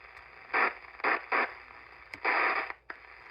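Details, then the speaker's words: Cobra 29 LTD CB radio, off frequency and sometimes not receiving: static bursts crackle in and cut out irregularly when the receive section is probed with a plastic pen; cold solder joint there, fixed by resoldering. "I do believe we have ourselves a bad solder joint right here"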